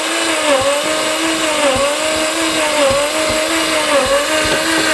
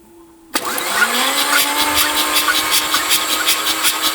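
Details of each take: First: Mazda RX7 FC, stock rotary engine, barn-stored 10+ years, timing corrected, petrol put back in: steady starter whine with even dips about once a second, never firing; cranks but won't start. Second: Mazda RX7 FC, stock rotary engine, sat 10+ years, first cranking with spark plugs out: starter whirring with even puffs about four a second, each equally strong; consistent compression across rotor faces, healthy.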